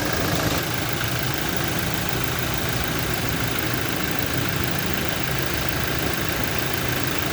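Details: Toyota Innova undergoing mechanical engine diagnosis: steady idle with a faint, even knocking running through the engine noise; internal engine knocking suspected, cause not yet pinned down.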